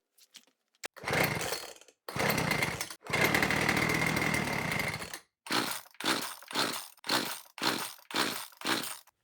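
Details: Small two-stroke leaf blower after repair with tank refitted, fuel line reconnected and new filter, no primer bulb: a few pulls, then catches and runs crisply, revving cleanly on each throttle blip; normal running.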